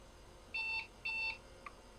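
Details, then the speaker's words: Compaq Deskpro rebooting during setup from diskette; two short, high beeps about half a second apart at boot, then silence, the POST warning because time and date are not set. "Man, this is the rebootinest machine I've ever seen. That was a rude noise. Why did you do that?"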